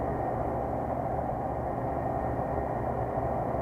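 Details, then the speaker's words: Walk-in cooler compressor after bad capacitors replaced, running: steady hum and rush with some vibration, no hard-start struggle; line sweating, runs normally. "just because uh wow we got some vibration. So I mean it's running."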